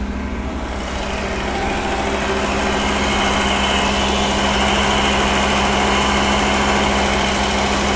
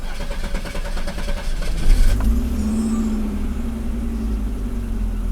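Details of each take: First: Pre-1990 Audi 90 after engine repair, A/C on: steady drone that slowly climbs and holds high instead of settling; the intermittent idle control motor isn't working, measured at only 0.3 volts. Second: Pre-1990 Audi 90 after engine repair (broken fuel distributor, vacuum leaks fixed), restarted: catches after a short crank and settles to a smooth steady idle around 800–900 rpm; the intermittent idle control motor is working this time.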